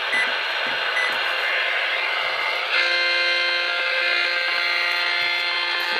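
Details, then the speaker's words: Microwave oven not running, only time entered on its display: steady radio hiss, then a cluster of steady buzzing tones switches on; the display electronics alone radiate RFI. "it's not even turned on so basically the display is making some noise"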